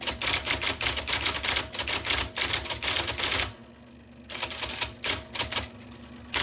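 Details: 1979 IBM Selectric II (non-correcting) electric typewriter, revived after cleaning, lubrication and plug rewiring: rapid crisp clatter of the type ball hitting paper in quick bursts, brief pauses and a carriage return; normal, healthy typing.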